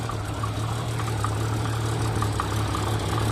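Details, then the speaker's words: 1989 Jeep Cherokee XJ, Renix 4.6L I6, AW4 automatic, idling: steady hum with a faint, irregular light tap every second or so. Owner suspects a cracked flexplate, not a bolt. Intermittent light knock at idle. "okay so it's a little loud uh just in general but the knock is very quiet it's only tapping here and"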